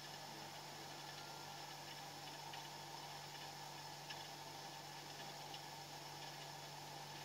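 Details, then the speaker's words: Fridge compressor running after methyl flush, filter slightly vibrating and warm; quiet steady low hum with faint hiss, no clicking or rattles; normal compressor running, no blockage. "ini seperti ini bunyi ini harus bunyi nih Ini Yang Namanya tidak mampet ini ini saya menjamin ini tidak mampet"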